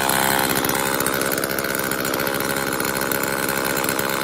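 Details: Homelite XL chainsaw after carburetor rebuild and new fuel/oil lines and filter, final test with bar and chain installed: crisp, steady two-stroke buzz holding speed evenly without stumbling or misfiring; runs strong.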